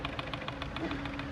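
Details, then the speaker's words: 2025 Sea-Doo RXP-X 300 with no crank, no start and a check-key message: rapid, even relay clicking about seven times a second with no cranking; relay chatter from low ECU voltage, found to be a blown ECM fuse. "Ang problema yung ECU niya guys, low voltage or engine control unit. Pakinggan niyo lumalagatok."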